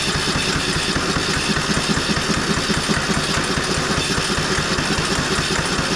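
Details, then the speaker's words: Craftsman 30-inch rear-engine riding mower just fixed from a no-crank/no-start via voltage and safety switch checks: single-cylinder chugging at about two and a half pulses a second, loose and uneven; rough running, carburetor suspected. "sounds like we might need some carburetor attention or something of that sort"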